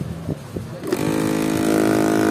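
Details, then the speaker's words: Electric massager brought in by its owner for being noisy: a buzzy motor hum with a rattly chatter over it, louder than when new; rattle from a loose motor mount. "Hindi normal ano? Hindi naman ganyan yan nung bago 'di ba?"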